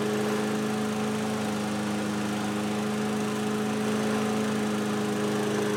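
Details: 2003 Toro 20017 mower with a 2006 Tecumseh LV195EA replacing the original LEV120: an even, steady engine drone holding one pitch with no surging or hunting. The governor is controlling speed normally.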